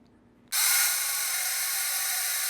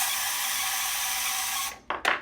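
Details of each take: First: 1984 vintage Kenner Imperial Shuttle toy's electric motor after oiling: bright, even whirring buzz, stops briefly and restarts the same; the earlier squealing dry-bearing sound is gone, motor runs freely with the typical Kenner motor sound. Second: 1984 vintage Kenner Imperial Shuttle toy electric motor, running with battery cover off: thin steady high squeal with rapid clicking from the paddle contacting the spinning gear until the motor stops; owner says the motor bearing sounds dry.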